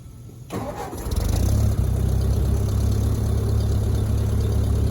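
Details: 1956 Ford 640 tractor with weak battery, jumped from a truck: brief cranking, then the engine catches and settles into a rough, low, steady idle.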